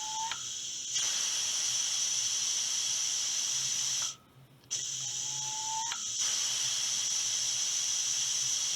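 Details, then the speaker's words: Air rifle booster pump driven from a tank regulated to 125 psi, filling a rifle at about 2,500 psi. Sharp hissing air bursts with a brief rising tink at each actuator stroke, then quiet as it resets: normal pump cycling. "so when I press the actuator you'll hear the stroke you'll hear it go tink and then you let off"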